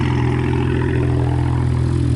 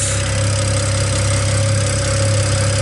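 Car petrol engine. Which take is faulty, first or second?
first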